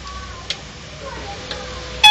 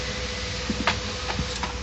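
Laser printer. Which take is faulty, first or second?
first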